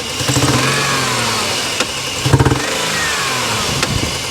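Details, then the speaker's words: Dodge Dakota 3.7 V6 still warm after being towed in, steam and smoke reported under the hood; rough stumbling run, badly misfiring on at least one cylinder with hard popping through the intake. "we're misfiring real bad on at least one cylinders one whoa one one cylinder and it's popping through the intake pretty hard"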